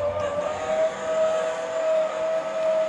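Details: Fifth-wheel electric auto-leveling system (not hydraulic) being re-homed after an error, by press-and-hold retract: a steady, even mid-pitched motor whine with no strain; the jacks retract normally and the system clears error-free on the second attempt.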